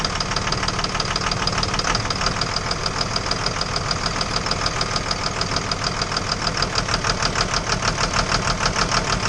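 Steady idle with a sharp, regular knock about three times a second that never lets up; that's a clear engine knock.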